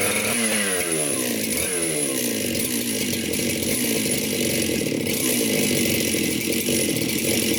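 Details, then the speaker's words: Chainsaw just reassembled on the bench with a new gasket, at first run: revs cleanly and holds a steady, crisp high-speed buzz without stumbling; it is running properly. "i think it's gonna work for us"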